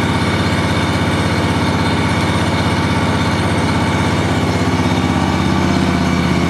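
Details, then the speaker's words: John Deere 757 mower, owned since new, first start of the year after sitting since last fall on fresh gas: fires right up into a steady, even thumping idle with no misses or knocks; normal. "[Applause] fired right up guys I have to say that I really have no complaints with this mall or whatsoever it's been a really good more I've had this thing since brand-new and love it"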